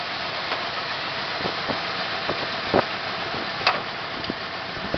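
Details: 1974 Plymouth Satellite 318 petrol V8 idling rough with irregular stumbles and pops over a thin, hissy note; timing is correct and the plug wires are right, cause still unknown.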